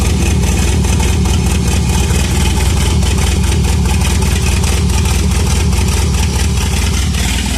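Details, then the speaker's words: 1985 Shelby Charger revival with fresh oil: deep, slightly lumpy idle at a low, uneven pace that never firms up; it is idling too low and still kicking out a bit of smoke. "Idling a little low that time."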